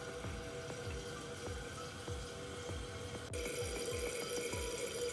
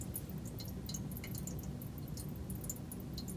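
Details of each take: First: Toilet refilling after a worn flapper was replaced: an even rush of water with no thin trickling hiss; the tank refills and seals normally. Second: Toilet with two-piece flapper split apart, which also won't flush: soft, steady trickle of water leaking from tank into bowl with no refill pause; worn, separated flapper not sealing.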